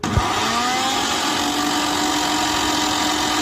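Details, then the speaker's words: Bosch 1000 mixer grinder with jar fitted, also not grinding properly: loud rough roar over the motor hum as it climbs to full speed, caused by a loose coupling; quiet after the coupling was changed. "Mixer का coupling loose था जिसकी वजह से यह problem आ रही थी"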